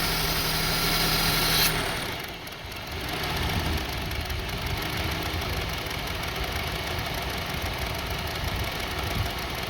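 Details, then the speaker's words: 2002 Honda CR-V 2.4L with rough idle and hunting RPM; with the MAP sensor plugged back in the idle is uneven and shaky with an irregular lumpy beat, a rough misfire-type idle. "See now, engine is shaking. See?"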